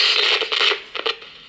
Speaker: again scratchy need some deoxit